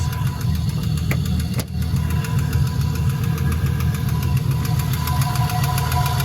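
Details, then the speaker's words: LS-swapped BMW E46 on its first test drive: idle dropped well below normal, then a loud, sharp, fast metallic knock seemed to come from the middle of the block; the cause is unknown, and the owner hopes it is an exhaust leak. "Oh Christ. Where's that coming from? Sounds like right in the middle of the block."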